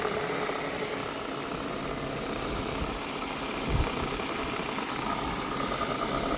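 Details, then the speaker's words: Wrecked Chevy Tahoe after the security system was tuned off: steady even idle with a soft low drone, no knocks or misses; smooth and healthy. "so we're going to go ahead and tune the security off of it it did start though I tuned it it fired right up deleted the security sitting here"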